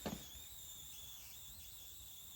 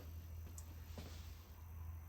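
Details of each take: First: Newly acquired Tempest arcade cabinet powered on: thin steady high squeal over quiet hum with no game sound; squeal cause unknown, owner suspects sound amplifier chip or bad speaker for the missing sound. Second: Tempest arcade cabinet CRT monitor, long unused, whose flyback had been squealing: now only a low steady hum with no high-pitched whistle; owner unsure whether dirt caused it; normal CRT monitor operation.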